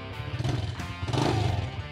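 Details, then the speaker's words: Old carbureted four-stroke motorcycle idling and blipped right after an oil change to PTT Max Plus 4T 20W-40: steady low throb picking up evenly, no knocks or ticks, over background music; engine still runs smooth. "Jangan lupa kita idle mesinnya masih oke banget mesinnya nih tuh suaranya juga masih"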